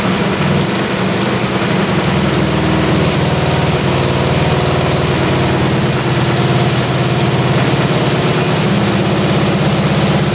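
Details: Russian Dnepr military boxer twin sat 30 years in a barn, just after carburetor idle adjustment and first start; steady, even twin-cylinder beat at one speed with no stumbling or misses; normal idle.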